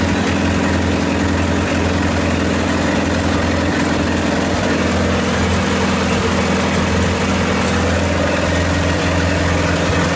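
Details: 1928 Farmall Regular tractor idling after carburetor tweaks, just started with timing advanced about halfway: steady, even low thump ticking over, no knocks or misses; healthy normal idle.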